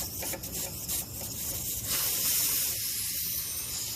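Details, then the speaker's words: 1997–2001 Honda Accord 4-cylinder A/C system under vacuum: a steady, sharp hiss like air rushing through a small opening. The Schrader valve cores at the service ports are leaking and being removed. "we know these schraders are bad because that's what i heard last time you hear it leaking a lot of times you'll see it bubbling"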